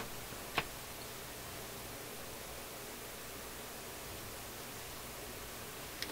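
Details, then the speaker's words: Nordmende console tube radio on shortwave band 1 with no external antenna (the built-in loop works only on AM): flat steady hiss, two faint clicks, no stations. Owner suspects no local oscillator; FM and AM also dead, possibly an IF tube. "Wow, we're going to need an antenna for this to work. This built-in loop antenna will only work on the AM side. I think that's the guy right there. Sounds like no local oscillator to me."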